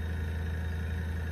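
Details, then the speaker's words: Brand-new airbrush compressor, just delivered, sitting on a hollow box that makes it louder: steady, low, even hum with no knocks, rattles or hiss; running quietly and healthy. "And if it wasn't setting on this hollow box here, it would even be more quiet."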